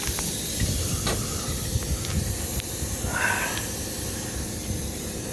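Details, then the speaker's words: Old Trane package unit pressurised with nitrogen high to low: steady airy hiss of escaping gas, no motors running; refrigerant leak at header where copper line passes; refrigerant circuit leak. "it's leaking somewhere and it's not right there where that wire was rubbing"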